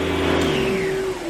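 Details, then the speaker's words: Beam central vacuum powerhead after handle and wiring harness replacement. Short steady motor whir with a clear mid-pitched whine easing slightly downward; the brush roll spins up and runs fine. "so pushing this one way is supposed to turn on the brushes turning it the other way should just turn on the vacuum"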